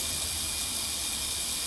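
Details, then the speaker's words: Buzz coil with points freshly set, firing a plug gapped at 0.030 in on 6 volts: a steady, even hiss with a fine crackle and no misses, a clean, good spark with very little arcing. "you can't even hear the difference in the coil operating well we are getting a good spark"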